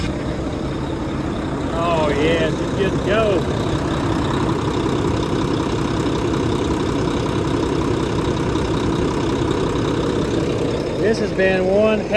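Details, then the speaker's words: Mack MP8 truck, first start on a straight pipe after replacing all injector cups and injectors: loud, steady diesel idle with an even deep beat, no knocks or misses, good oil pressure; normal idle. "oh yeah yeah yeah I forgot about that D that sounds awesome this thing sounds really good actually right listen to that"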